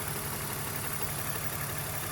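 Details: BMW E46 after replacing a failed upper radiator hose and refilling coolant, coolant temperature holding steady: smooth, even idle with a steady low beat and no knocks or ticks; engine running normally.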